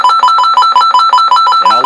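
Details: Midland 9001Z CB radio built-in timer alarm: rapid, evenly spaced two-tone beeps, about five per second, that grow louder in steps over time; the alarm works normally.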